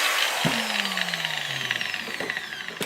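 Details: Makita 9565CVR 125 mm 1400 W angle grinder after armature replacement: high motor whine winding down smoothly after switch-off, no grinding, rattle or scraping; repair successful.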